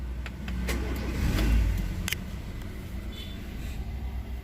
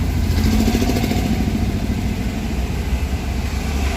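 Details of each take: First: Honda Jazz with check engine light on just after start-up, before repair: idle swells and sags unevenly with irregular low thumps. Rpm hunts and the car stumbles at low speed, caused by a failed idle air control valve. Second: Honda Jazz after fixing a faulty idle air control valve (DTC P1519, check engine light): cold fast idle above 1000 rpm, steady and even with no surging or hunting, set to drop gradually to a normal 850 rpm idle.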